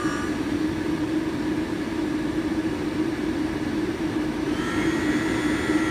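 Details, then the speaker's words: HPEVS AC-35 induction motor on a DIY Hübner inverter, on the bench at 24 volts with no load and strapped to the table: a smooth, steady electric hum at high rpm, apparently in field weakening mode, no rough spots. "and I do believe that it's going into field weakening mode on white ramps up and spins it's a high rpm 24 volts but it is no load"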